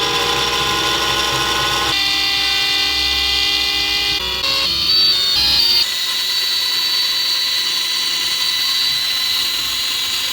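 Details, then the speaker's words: Vintage aircraft attitude-indicator gyroscope spinning up after a diode connection fix: high steady whine with rough rattling edge, tone shifting as it accelerates until it spins fast enough to stabilise; owner suspects noisy bearings. "I think the bearings are a bit making a lot of noise eventually it spins fast enough that it gets stable"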